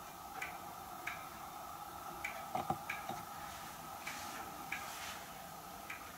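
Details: Hermle weight-driven grandfather clock movement on a homemade leveled test stand (F-350 rotor disc base, 2x4 post), pendulum just fitted; soft, fairly even tick-tock with a few handling knocks, beating normally.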